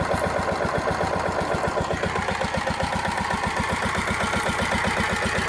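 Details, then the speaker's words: Lombardini single-cylinder diesel with electric start and a non-working automatic compression release, at idle: quick, even, crisp thumping that sounds like knocking, as small single-cylinder diesels do; a normal idle. "like all little one cylinder diesels i've ever seen you know they they sound like they're knocking at idle"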